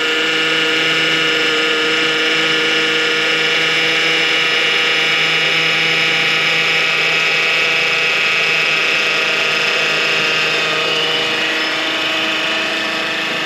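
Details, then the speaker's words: 2009 Honda Accord at idle, just after topping off power steering fluid that was aerating and bubbling: even pump hum with no groaning; the pump got a lot quieter. "I don't know if you guys can tell but that pump just got a lot quieter"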